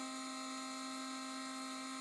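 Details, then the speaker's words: 1987 Mercedes 560SL (R107), not run since 2008, fuel pump assembly test: a steady high electric whine at one pitch. The pumps stay cool and spin freely but deliver no fuel; a blocked fuel path is suspected, not confirmed. "pumps turn pumps were cool to the touch you can hear them spinning but nothing would come out"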